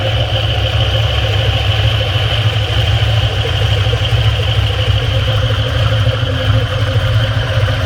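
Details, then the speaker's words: Cold idle with steady, fast clattering tap over deep exhaust rumble from a gutted, modified exhaust manifold; owner calls it piston slap, though exhaust noise contributes. "as promised, here's a video that shows the piston slapping in perspective."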